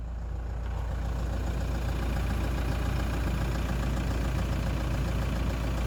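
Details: Toyota Land Cruiser Prado 120 with 3.0 L 1KD-FTV diesel after exhaust gasket replacement (bolts torqued to 43 Nm): smooth, deep idle with an even beat, the earlier cold-start whistle from the exhaust leak gone; normal running.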